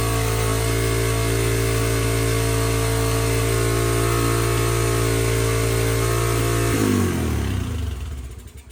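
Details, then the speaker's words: Non-running 2006 Yamaha TTR-230 with about 92 psi compression, first start on choke without the airbox connected. The single holds a fast, steady idle, then shuts off. It seems rich and the idle is set too high, pending carburetor tuning. "I'm glad we know that the engine's actually running uh it seems like it's running on the Richer side and the idle is set way too high"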